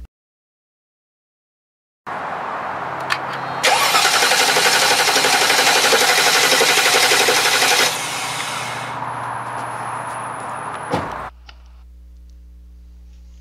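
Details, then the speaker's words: 2000 Mercedes-Benz S500 cranking with the air filter cover removed: the starter spins the engine with an even chatter, about four beats a second, but it never fires; failed crankshaft position sensor, no-start. "typically when the crankshaft position sensor fails the engine will not start will turn off unexpectedly or perform"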